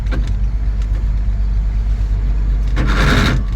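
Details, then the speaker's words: 1963 Chevy 2-ton dump truck, 292 six-cylinder, sat 15 years, running on fuel poured into carburetor bowl: low, uneven loping idle that stumbles and sags as bowl empties, not drawing old fuel from tank; fuel starvation. "Not happy. Nope, she's empty. Dang it. We're gonna fill the bowl up again this is older than that, and it's not picking it up."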